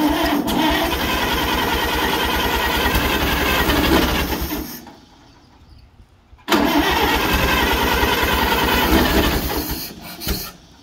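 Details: Allis-Chalmers WD45 tractor, sitting at least 15–20 years, freed and coil changed, catches and runs ragged and uneven, dies off briefly then fires again; rough running after sitting, cause not confirmed.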